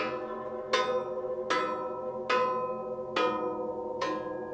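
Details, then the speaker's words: Case 770 tillage disc hooked to a Case Magnum 245: five sharp metal strikes, each ringing like a bell, showing the disc blades are tight and in place; a dull thunk would mean a loose blade. "hear that vibration that ringing that's what we're looking for that tells us that this blade is tight and in place"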